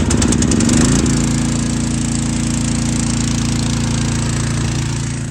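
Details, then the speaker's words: EW4040 triplex AAA pressure washer pump on a small engine, after replacing the check valves and quick-connect O-ring: steady, even drone about three to four beats a second, pump loading smoothly and building pressure; runs normally. "I know that's loud. And I'll be able to tell if that fixes my problem or not."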